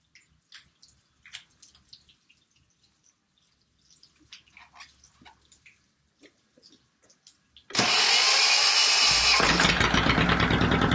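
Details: Volvo Penta 2002 diesel from a 1987 Liberty Yachts Pied Piper 28 sailboat, cold, after repair (shims corrected, fuel bled; possibly slight air remaining): silence with drips, then starts and settles into steady even clatter without misses; normal running.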